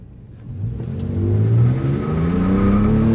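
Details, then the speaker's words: 13-year-old Toyota Tacoma V6 pickup, accelerating hard with some tire spin: engine pitch climbs smoothly and steadily, even power with no misses or knocks; healthy acceleration. "can hear some tires spinning. It's got enough horsepower for a mid-sized pickup truck. Not a race truck, but decent acceleration with the V6."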